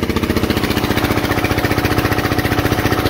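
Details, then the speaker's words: Onan 3.0 DJA diesel generator, rated 3 kW, overloaded to 3400–3500 watts with heaters: heavy, labouring thump about four beats a second; smoke, frequency and voltage dropping, can't exceed 3500 W. "we got 3 400 watts right there 35 3500 watts you see the smoke the top higher the hearse is dropping as you can see"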